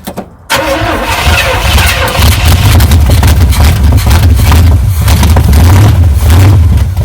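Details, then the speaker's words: 1978 Chevy K10 truck engine started after sitting 27 years, with a strong oil-in-fuel mixture; silence, a sudden catch, then a loud uneven low rumble settling into a rough idle: engine starts and runs after long storage. "what are you thinking Ben sounds great runs it does run is all right"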